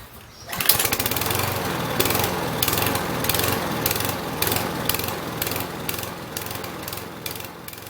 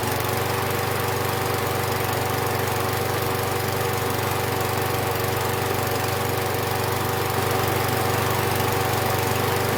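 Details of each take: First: Husqvarna 6021P mower with a Kohler engine, before the fix. The engine surges, its speed rising and falling a few times a second instead of idling steadily. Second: Husqvarna 6021P Kohler mower engine after the part under the idle adjustment screw was removed and the idle screw adjusted. Even, steady beat at about four pulses a second with no surging; the owner notes it may also just have warmed up.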